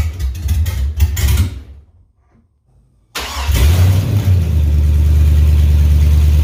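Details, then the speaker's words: 2003 GMC Yukon Denali 6.0L LS V8, destined for a Chevy K20 swap, running with no exhaust: cranks, pauses, then fires into a loud, deep, steady open-header idle; healthy. "There's no exhaust on it at this point, so if you guys want to hear it, we'll see what it sounds like. I'm curious what the 6.0 sounds like with no exhaust."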